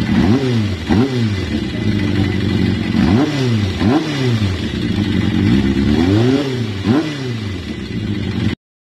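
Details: Kawasaki ZRX400 after carburetor cleaning: even idle broken by repeated quick throttle blips, revs rising and falling cleanly about every second; carb responds crisply, engine healthy.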